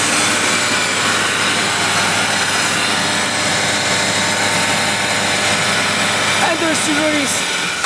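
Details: Rotary screw compressor set: 15 HP Atlas Copco GA11 main unit, little used and in very good condition, with a 10 HP Worthington backup, 129-gal tank and VanAir dryer. Steady airy hiss and smooth drone, no knocks or rattles; running healthy.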